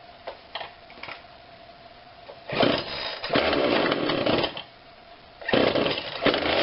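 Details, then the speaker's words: Husqvarna 142 40cc chainsaw, warmed up, after carb tweak with adjuster tool (low adjustment apparently not needed): blips from idle into crisp full-throttle bursts, drops back cleanly without bogging; normal running, much better. "i like that that's much better i can't seem to get it into this side for some reason but it doesn't seem to need a low adjustment now i'm not going to force it i think it runs really good considering what it is"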